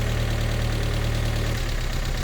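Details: Mazda MX-5 after restoration, cold morning, idling while spark plug leads are pulled one by one: uneven, lumpy idle that changes rhythm with each lead; misfire traced to cylinder 3, whose plug is fouled.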